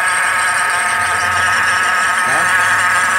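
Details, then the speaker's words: Car at idle with a terrible loud, steady whirring rattle from the belt drive area low down, where eight pulleys including the power steering pump pulley run. "e a parada é o seguinte um barulho terrível nessa região aqui esse barulho mais Sec sa ó"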